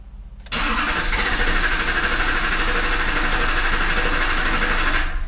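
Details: 2006 Chevy Silverado HD 6.6 Duramax LBZ diesel, Allison 6-speed automatic, 4WD, fuel system already re-primed: steady starter churn at about three turns a second for five seconds, seems to try but never fires; crank, no start.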